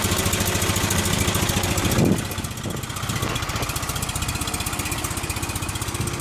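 Small twin putters evenly, gets a quick blip of throttle and then settles back to a steady, clean idle with no knocks; it runs well.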